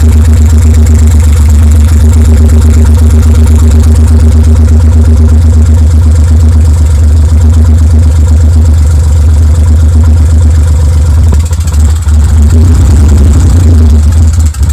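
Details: BMW N52 with exhaust removed: a very loud, rough idle with an uneven low chuff as cylinders 4, 5 and 6 misfire from a broken exhaust camshaft; the catalytic converter is destroyed and the valves seemed OK.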